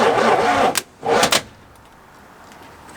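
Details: 1985 Oldsmobile Cutlass G-body 307 V8, dormant for years, just freed up, with plugs and distributor wire refitted, on its first start attempt: two short bursts of cranking with no firing, then quiet. Cranks but won't start.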